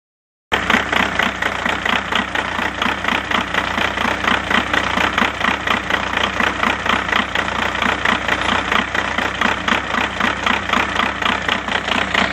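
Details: 2000 VW New Beetle TDI diesel, manual transmission, idling with an uneven, pulsing clatter of about four beats a second; starts and drives great, and the EGR valve looks very dirty. Owner is unsure of the cause.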